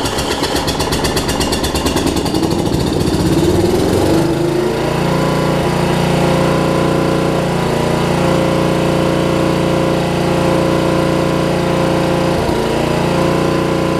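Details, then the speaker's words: Murray rear-engine rider, engine about 30 years old: rapid uneven chugging for about four seconds before it catches and runs steadily; hard to start, owner wonders about low compression. "and I'm just going to crank on a little bit see if I get the thing to run so that I'm not made a liar out of out of this thing it's really hard to start you can see"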